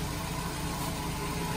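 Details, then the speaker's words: Nissan Grand Livina idling after replacing the flood-damaged AC pulley set; now quiet, smooth idle with no bearing rumble or belt squeal. "Jadi setelah diganti puli AC, suara mesin mobil kondisinya normal kembali."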